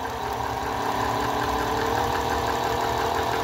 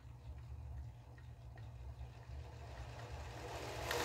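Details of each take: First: Singer 431G sewing machine, internal motor converted to low-voltage high-speed drive, sewing denim: a loud steady hum with a whining edge because the drive gear was not set in its exact position and dragged. Once the gear was repositioned, it ran noticeably quieter. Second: Singer 431G sewing machine with internal motor converted to low voltage, high speed and high torque, sewing denim after the drive gear was refitted in its correct position so it no longer drags: smooth, even, quiet whirr with no gear clatter, normal running.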